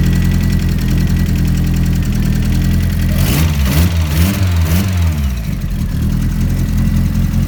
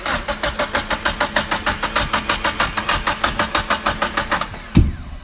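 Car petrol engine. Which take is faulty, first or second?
second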